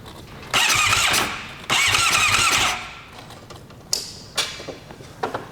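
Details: Suzuki GSX-R750 project motorcycle, two short starter bursts: the engine spins but never fires. A plug test showed no spark, so a lack of spark is the suspected cause.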